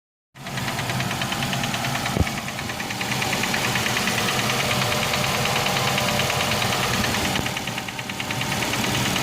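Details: Nissan X-Trail T32 2.5, 11 months old, 5,000 km: quick, steady knock of about three per second over the running engine, a rod knock; fixed by engine overhaul replacing the connecting rod and bearings.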